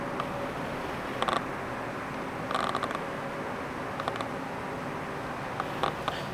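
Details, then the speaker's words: Art lens on a camera while recording video: short bursts of dry rattling from the autofocus motor over quiet room hiss; very loud, better suited to photos. Noisy autofocus motor. "Ну, конечно же, он очень шумит. Слушаем. Он тарахтит. Слышите, да? Тарахтящий объективчик."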